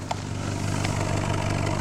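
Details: 2009 Subaru Forester after engine rebuild with used crank and pistons, first run: steady, even low burble at idle with no skips or pops; firing cleanly on all cylinders.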